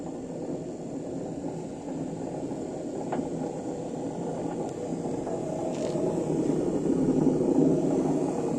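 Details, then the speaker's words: Samsung 7 kg washing machine, empty drum on spin: a deep, steady roar like a plane that builds with speed, about ten times louder when loaded. Service suspected a failed drum bearing; bearings and seal are to be replaced. "ses bu ses ses çok felaket bir şey şu anda içinde çamaşır olmadığı halde bu ses yapıyor çamaşır olduğunda bu sesin 10 katı daha fazla çıkıyor uçak geçer gibi"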